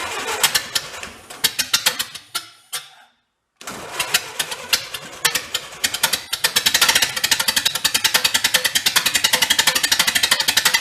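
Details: 1931 Ford Model A pickup barn find, open exhaust, while bumping timing: uneven cranking puffs, brief stall, then faster firing about two beats a second, loose rhythm; rough running, owner suspects timing and carb needing a kit.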